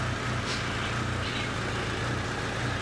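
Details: 2008 Hyundai Sonata 2.4 petrol engine at low idle stumbling every second or so with an uneven, lumpy beat of a cylinder misfire.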